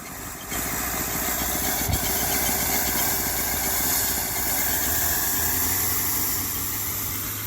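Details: 1950 Packard barn find sitting about 40 years, first start with fuel added: engine fires and runs with a slightly uneven low pulse under heavy hiss, some smoke afterward; first start after long storage.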